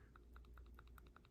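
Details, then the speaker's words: Arrma Kraton 6s/8s EXB differential turned by hand before shimming: quiet sharp clicks about six a second as gears rock; excessive ring-and-pinion backlash, sloppy in some spots, needs shimming. "that is one sloppy death so when you run it with even by hand sounds and feels nasty no good"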